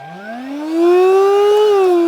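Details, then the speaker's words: Discontinued cordless vacuum from charity shop, battery still holding charge: thin whining motor spins up and holds steady but barely any suction, won't pull the flap in; filter probably clogged, dust found inside. "it barely has any suction. It won't even suck that little flap in. So, probably the filter's clogged."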